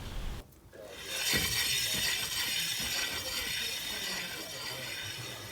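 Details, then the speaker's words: Renault Twizy rolling: a steady, high-pitched scraping hiss from the front brake pads rubbing the discs, varying when turning; corroded caliper pistons are suspected from the car being stored outdoors. "and so that's why my Twizy's always had quite a high level of brake pad rubbing noise, which I'll show you"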